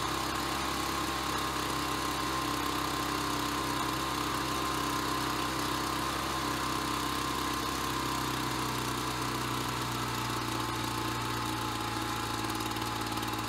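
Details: Ryobi BP42 backpack leaf blower two-stroke, 4 years old, after repairing no-spark, replacing and fine-tuning the carburetor, and redoing the fuel lines: steady buzzing speed, then easing lower and settling evenly with no stumbling; normal running.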